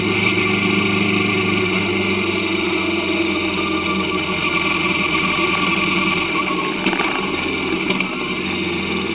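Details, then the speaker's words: Kawasaki Vulcan S 650 at steady road speed with new chain, new sprockets and properly adjusted chain: even engine drone under wind, no chain slap or clatter; drivetrain smooth, normal running. "New chain, new sprockets, properly adjusted chain makes a world of difference."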